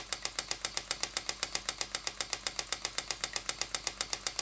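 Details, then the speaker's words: Stuart "Petit Cheval" (donkey) model steam water pump, 6 cm3 double-acting, run slowly on compressed air rather than steam (rated 40–400 strokes/min): crisp, even clops about four a second over a steady airy hiss, normal running. "voilà déjà avec même pas 1 2 milliard la pompe fait son travail et comme vous l'entendez fait son clope sur clope"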